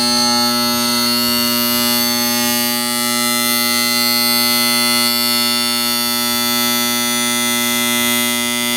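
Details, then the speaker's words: Heil/International Comfort Products (ICP) N9MDP furnace that won't fire, power on: loud steady electrical buzz from the inducer motor with no spin-up or airflow; motor energised but seized, blower not starting; inducer motor replaced to fix. "you can hear that this thing's not turning"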